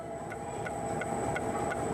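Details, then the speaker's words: Citroën C4 rear bodywork, noise traced with a RuidCar rig, microphone close inside: sharp ticks about every third of a second over a steady hum that stop when a hand presses the panel; loose spot weld working in the body. "está aqui ponto de solda solto na carroceria trabalhando"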